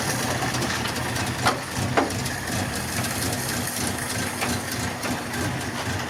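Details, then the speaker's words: Mk1 Ford Cortina, original 1200 engine and gearbox, carburettor diaphragm slightly leaking: quiet steady idle with soft even beat and brief background clanks; engine running smoothly. "there you have it, it runs."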